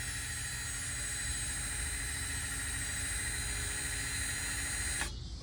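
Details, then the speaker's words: 2017 Lexus RX 350 rear brake pad job: electronic parking brake motor, powered by a 12 V battery, rewinding to retract the piston; steady whir with high whine for five seconds then sharp cutoff, normal retraction run to the end. "Okay, so the motor is rewinding. So we gotta go all the way to the end."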